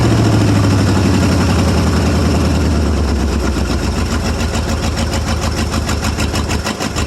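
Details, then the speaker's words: 1995 Ford F-150, 5.8 L (351) V8, cold start, blows steam (head gasket or cracked head suspected): open exhaust with a lumpy, uneven beat and dropped pulses, loading up on fuel and smoking. Firing on only about four to six cylinders. "oh she does run quite poorly [Music] but loading up on gas bad and not firing on any well probably six of cylinders maybe if you're lucky and now now it actually like run on [Music] four"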